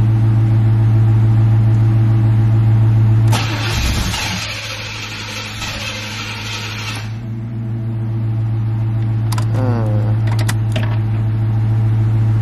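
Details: C4 Corvette after jump-starting its dead battery: fast, even cranking at about three turns per second with bursts of effort, but it never catches. Crank, no start; owner later suspects air escaping when cranking.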